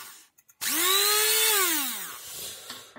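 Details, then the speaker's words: Promotec PM 590 blender that would not switch on: the switch contact's plastic pusher had overheated and melted. With the contact closed by hand, the motor spins up to a steady high whine and winds down smoothly, so the motor runs normally. "теперь если я буду вручную замыкаю все работает видно видно вам или нет все работает"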